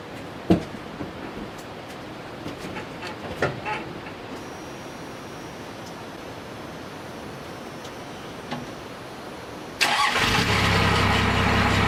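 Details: 1994 Dodge 3500 4x4 12-valve diesel work truck, manual transmission: cab clicks, then it fires about ten seconds in and settles into a loud, steady, deep idle; normal clean start.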